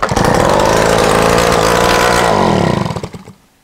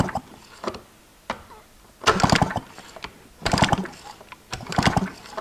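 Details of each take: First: 1986 Honda Spree two-stroke scooter, sat outside 25 years, revival attempt, header pipe removed: harsh crackling bark at a quick steady beat for about three seconds, then dies; loud exhaust from open port. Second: 1986 Honda Spree scooter that sat outside for 25 years, spark plug out for a spark check: repeated kickstart cranking about every second and a half, turning over without firing while it sparks each time.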